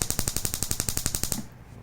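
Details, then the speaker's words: Daihatsu Mira ignition coil, spark-tested with the gap widened to about 1.5 cm for a car stumbling at idle with A/C on: sharp, even snaps about ten per second, spark still jumping, coil healthy. "นี่ถ้าเรายิ่งคลายห่างๆอ่ะดูดิว่าเอ่อประมาณซักเซมครึ่งมันจะโดดมั้ยนะครับเช็คประสิทธิภาพของมันด้วยนะเมันยังโดดได้นะครับห่างๆ"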